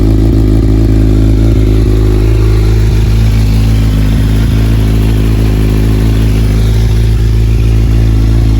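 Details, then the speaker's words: 2015 Kawasaki Z1000 with a newly installed cheap eBay header kit and no catalytic converter: loud deep drone with irregular sharp ticks and puffs. The exhaust leaks at one side's clamp that won't seal however it is positioned. "but there's also a leak on this side of the exhaust right here. No matter where I position the clamp, it keeps leaking,"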